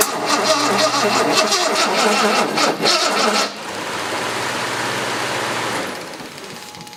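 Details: 1970 Jaguar E-type coupe after sitting about four and a half years, cranked with starting fluid in the carburetor; starter cranks steadily, engine catches a few weak uneven firings, then cranking slows as the battery runs low.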